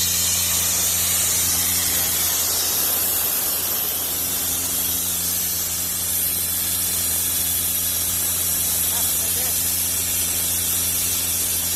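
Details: Airman PDS90 air compressor, 3-cylinder diesel, used import, mostly original; steady even diesel drone with loud rush of air from outlet, no knocks or misses; strong air, running smoothly.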